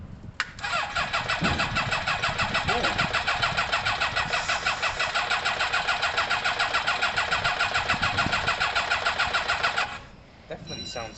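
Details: Kawasaki ZL600 motorcycle after coils, carb tuning and valve work, exhaust pipes disconnected: catches then runs ragged, fast uneven pulsing, misfiring and rough, not settling to idle; firing order suspected, not confirmed.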